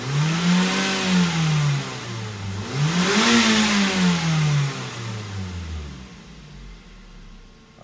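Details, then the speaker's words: Junkyard replacement engine swapped into a Mazda 3 with a blown engine, in park, revved toward redline: rises smoothly twice and falls back cleanly, no rod knock or tapping; healthy. "I don't hear any rod knock or anything. This sounds like a good engine. Let's see if we can redline that puppy."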